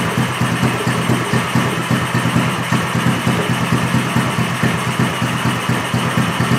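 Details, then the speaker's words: Small engine running on straight Seafoam: weak, uneven firing about twice a second, barely alive and dying out despite tuning; the spark plug comes out drenched in Seafoam because the fuel isn't combusting. "and yeah it's super wet I'll put it close up right now and you can see that the spark plug is drenched yeah in the seafoam but it just wasn't combusting"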